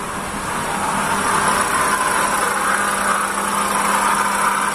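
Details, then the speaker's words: Toyota Calya at idle: loud, coarse rumble with steady rough hum from the engine area, sounding as if inside the engine; possibly a bad water pump bearing at the front of the engine. "bunyinya nyaring sekali ya kayak suara di dalam mesin"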